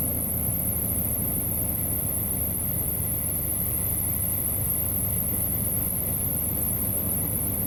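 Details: Engine jump-started from the repaired Stanley-type jump starter box (positive to B+ on fuse relay center, negative to engine ground): steady low rumble, even idle, no knocks or misses; running smoothly.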